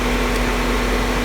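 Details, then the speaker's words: Car AC after low-side refrigerant recharge, center duct 46-48°F, compressor cycling at temp sensor set point: steady even hum under engine; normal compressor operation. "so now this one the compressor is cycling now because this actually has a touch on it"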